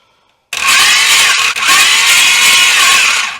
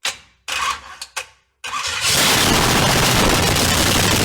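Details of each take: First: 500hp V8 in a Honda, first-start attempt cranking with plugs out; harsh high-pitched whirring grind for three seconds, owner thinks the starter isn't adjusted right, possibly poorly meshed with the flywheel. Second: 500hp V8 in a Honda, run on half gas, half starter fluid; loud, crackly engine catches after a few coughs, roars evenly about three seconds and dies, sounding healthy.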